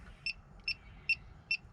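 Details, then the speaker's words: 1988 Chevrolet Suburban Harrison R4 AC compressor after new front shaft seal, leak detector at maximum sensitivity near seal, about 65°F: slow even chirps about 2.5 per second, static, no speed-up; no R134a leak detected. "getting nothing so that is a good sign i'm just static at about 60."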